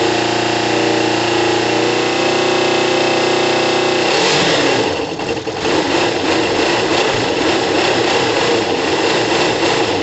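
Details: Kawasaki ZL600 twin after valve adjustment, new coils and resealed exhaust, on choke, cold and warming up, about 3 L fuel on reserve: even fast-ticking idle, no air escaping from exhaust; runs cleanly.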